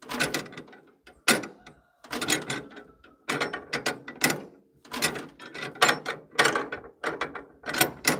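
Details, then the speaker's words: 1940s wood splitter with International Cub engine, cold, hand-crank starting, poorly tuned aftermarket carburetor: repeated cranking bursts with pauses and occasional stray pops; turns over but won't catch and run. "Oh, I heard it. I heard it again. It's getting close."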